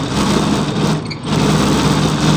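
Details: Evaporative air cooler fan: loud, rough whirring with one brief dip; the blower wheel's hub slips loose on the motor shaft.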